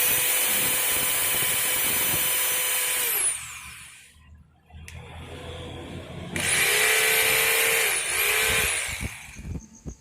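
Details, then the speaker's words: Makita HR2230 rotary hammer, test run after service with 627 bearing and wave spring: strong, steady, high motor whine, smooth through two runs with clean spin-down; power restored, running normally. "great, the power has recovered again, now let's just bolt everything and for the concrete and drill settings, it's usually normal, okay?"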